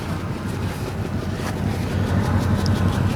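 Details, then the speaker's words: Engine with missing cylinders heard at the exhaust: lumpy uneven pulse near three beats a second under wind noise, running badly and smelling terrible; scan tool suggested faulty O2 sensor or vacuum leak, smoke test planned, no misfire codes shown. "see listen to the exhaust it didn't tell you that's she's not running right hear them shouldn't be like that and she smells terrible"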